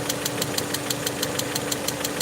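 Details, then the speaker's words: Peugeot 307 2.0i at idle after its vacuum leak was fixed: sharp, evenly spaced ticks, about six a second, over a steady hum. The owner suspects the timing jumped after he opened the timing chamber. Cause unconfirmed. "I don't know the noise as a result of the the timing the I CAU I enter the timing chamber and then made the to to jump you know"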